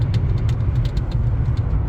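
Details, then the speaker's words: Neglected 232K-mile V12 BMW 7 Series cruising on the road; quick light ticking rattle about five a second over road rumble, owner suspects a loose piece of trim or tape, not confirmed. "first off, the [ __ ] is that noise? A piece of trim or tape."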